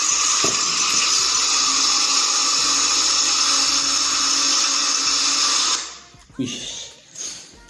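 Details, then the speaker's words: Komatsu PC200-8 excavator diesel that would not start after all six injectors were replaced, logging errors CA559 and CA2249: harsh, abnormally noisy roar with a hissing, rattly edge, black-and-white smoke, then cuts off to near quiet. "Kalau teman-teman jeli ya, pertama asap hitam campur putih, kedua suaranya abnormal ya, suaranya abnormal sebenarnya gitu ya."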